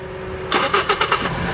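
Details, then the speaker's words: Toyota Vios gasoline engine after fixing the fuel pump hose that gave way, pump motor not faulty: about five quick cranking beats, then it catches and settles to a steady idle; normal start on first crank. "Bingo. Yan. One click. Soba lang dahil hindi sira ang motor. Yung hose lang ang bumigay."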